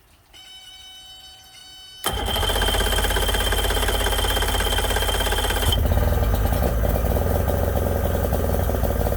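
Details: Yamaha 90hp two-stroke outboard on a 16ft bass boat, unrun for months, carbs cleaned twice, plugs and coils swapped: starter whirr then an uneven, lumpy idle with a lopsided beat; number 2 cylinder will not fire.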